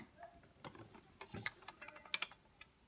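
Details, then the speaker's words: Galaxy Aqua 3000 (Glen Dimplex) electric shower pressure switch, pressurised on the bench with a bicycle pump: several sharp, crisp clicks over a faint hum, with a washing machine running in the background. The micro switches snap on and off normally. "you can hear the micro switches clicking on and off there now"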